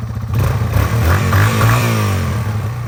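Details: 2001 Yamaha TTR 225 after four years sitting and carburetor cleaning, first start with jump pack: single-cylinder thump settles into steady, even idle right after catching; no misses or stumbles, idling smoothly.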